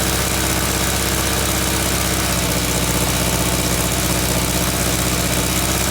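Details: VW Beetle engine after its smoking alternator was repaired with electrical tape: steady, even low idle with a smooth beat and no knocks or squeals. Engine sounds healthy and settled; belt tension still uncertain.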